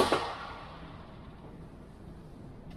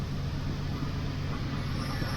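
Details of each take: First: 1979 Pontiac Firebird Trans Am with the 6.6 big block, started after standing: quiet, then the V8 fires abruptly into a loud, busy idle with a rough pulse; a reported noise that could be the converter or the engine, source unclear. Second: 1979 Pontiac Firebird Trans Am 6.6 big block V8, reported noises possibly converter: deep, even burble steady with no misses, knocks or ticks; normal idle, engine sounds very nice.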